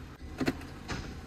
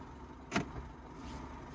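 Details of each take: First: Smart Fortwo 451: two hard clunks about half a second apart when shifting into gear; clutch actuator sticking, slamming engagement, before fix. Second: Smart Fortwo 451 after fixing the sticking clutch actuator: quiet with only a very slight soft click at each shift into gear and reverse, no grinding or clunk; clean engagement.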